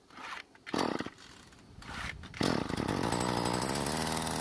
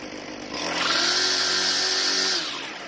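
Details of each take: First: Craftsman two-stroke string trimmer that won't start because of broken fuel lines, before repair: fuel poured into the filter area, then a couple of rope pulls. It buzzes a few seconds then dies, showing the engine can run; the starter rope still has issues. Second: Craftsman two-stroke string trimmer after replacing broken fuel lines: a quick rev from idle to a high, steady scream held about two seconds, then a clean drop back. It runs strong and even; only the idle speed may need adjusting.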